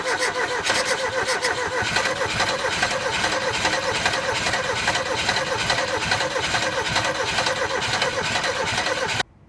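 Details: Ford Taunus/Cortina unstarted 40 years, replacement NGK plugs, cranked from the starter with brake clean fed: steady cranking about two turns a second, uneven chug, no firing; won't start, bad 40-year-old fuel suspected.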